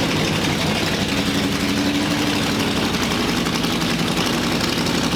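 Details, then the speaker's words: Ford Free-T with full-race flathead on Pounden-Gerde magneto, vintage carburetors fixed, hot-wired to battery bypassing ignition switch: lumpy but steady idle with even rapid firing pulses, no misses or stumbles, runs cleanly. "now we've pretty much got to the point where the thing will fire up pretty easy you know rev up I've let it warm up and everything and run it in and I'm pretty happy with it"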